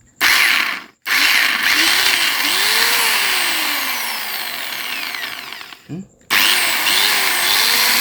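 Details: Angle grinder (ลูกหมู) gear head, rusty, being re-greased after rewiring: it spins up to a high whine with wavering, chirping tones over the motor and is cut off twice; unusual gear head noise, cause unclear.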